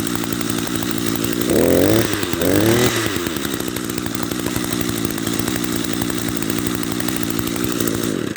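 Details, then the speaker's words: Echo SRM-210 trimmer after carburetor rebuild with Zama RB-188 kit, idle screw turned in half a turn while running: small two-stroke holds a steady even buzzing idle, no surging or stalling. Normal idle. "you see I only turned it in a half a turn and now it's running"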